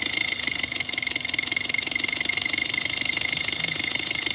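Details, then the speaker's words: Ultrasonic probe on the fuel rail of a running 4-cylinder, scope triggered on injector 1; resistance added to the number 4 injector circuit makes steady injector ticking drop beats, so cylinder 4 intermittently misfires, then returns to running on all four. "Okay, it's skipping on 4. Now that cylinder comes back. There it is. You can probably hear the cadence of the engine."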